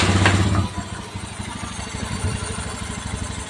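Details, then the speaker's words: Honda Beat FI after new piston fitted, engine running: after a brief blip, steady even low putter at idle with no knocking or rattle; engine now smooth. "Monggo Mas unit Honda beit F Mas punya jenengan on engine mesin alus ya Mas bagian CVT terus mesin Tengah halus Mas suarane WS halus Mas on engine tanpa mikrofon B tetap halus bol Akung ready"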